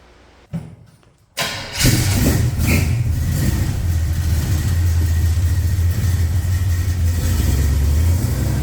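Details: 1969 Chevrolet Camaro with freshly rebuilt 327 small-block Chevy (bored 40 over, line bored, H-beam rods, flat-top pistons, 480 lift cam): brief crank, clean catch, steady even idle with no knocks or misses; normal start and idle.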